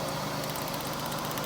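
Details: GM 3800 V6 (Pontiac) after fixing P0300 misfire by checking ignition spark on each cylinder; steady, even idle with no stumble or skipped beats, all cylinders now sparking and running smoothly.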